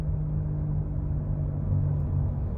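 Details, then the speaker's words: Toyota Tacoma 4x4 on a test drive: a steady low droning howl over road rumble, louder with speed, gone when turning right (loading the driver side); the driver-side front wheel hub bearing is failing. "that means that this side on the driver side Hub is uh it's about to go"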